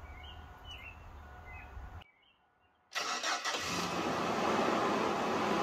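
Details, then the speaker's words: 2005 AWD Chevy Astro van with a weakening battery, meter on the fuse panel positive post measuring voltage drop while cranking (should stay above 9.6 V): after a pause, heavy labouring crank with a rough repeating churn; battery too weak. "Alright, I'm hooked up on the fuse panel now. See what it drops to while we're cranking."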